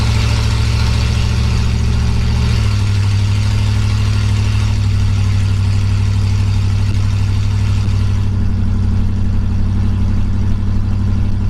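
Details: 1965 Pontiac Catalina V8 after cleaning the Rochester 2-barrel carburetor and refitting it with a new gasket: steady, even idle with a deep, smooth burble, no misses. It runs a lot smoother.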